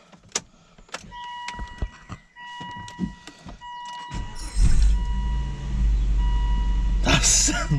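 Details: 2000–2007 Volvo V70 first start after engine oil and filter change; dash chimes and clicks, brief crank, quick catch, settling into steady even idle with no oil pressure warning; normal startup.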